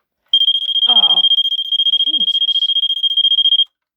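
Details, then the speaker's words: Vulcan MK V1B Autosonic photoelectric smoke detector (made March 1986): battery reconnected after being pulled to stop it, and it gives a shrill rapid pulsing alarm, three to four beeps a second for about three seconds, then cuts off. "now let me see if I if I put the battery back what happens oh oh it made a contact noise okay hold on"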